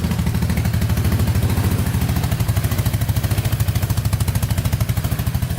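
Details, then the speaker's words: Four-wheeler with a new battery, carburetor not yet cleaned, cold start idling on choke while warming up: even, steady thumping with no knocks or misses. Normal cold idle. "So it's running with the choke on right now. I'm gonna let it warm up with the choke on for a bit and then take it for a quick rip."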